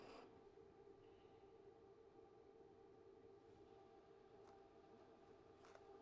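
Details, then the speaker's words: Everlast Lightning MTS275P welder, DC TIG, butt weld: soft even hiss with steady faint tone, no crackle or popping, steady amperage then foot-pedal pulsing in and out; smooth stable arc. "So, just running some steady amperage. Let's do a little foot pedal pulse. Roll in and out of the amperage. Nice and smooth."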